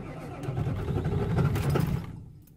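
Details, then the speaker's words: 1997 Ford F250 HD 7.3 diesel, after glow plug replacement, cranking: slow, uneven cranking that stumbles then dies, because injectors 1 and 3 misfire from a bent pin in the valve cover harness connector; the truck shakes badly. "it sounds like the injector's misfiring which technically it is because it ain't getting power to it or whatever"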